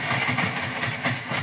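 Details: Bajaj 205 RE with a faulty neutral switch: short clip of the small single-cylinder idling with an even pulse and steady pitch; engine runs smoothly, no obvious faults.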